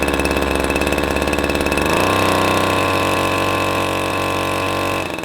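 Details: Husqvarna 321S25 two-stroke engine sprayer started after disassembly and reassembly of the carburetor and easy starter. Catches and settles into a steady, even buzz with a clean high tone, no misses or knocks. Healthy.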